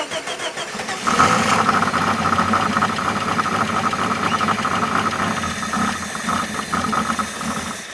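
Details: Engine first start after head gasket, reconditioned head, water pump and hose replacement: catches and settles to idle with a thin high squeal for the first few seconds, then fades; runs a bit rough.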